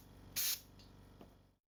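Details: Compressor with a newly bought modern silent oilless double pump, fitted with new air cleaners, motor capacitor and safety valve: sharp air hiss over a quick, even low pumping beat, running smoothly and healthy.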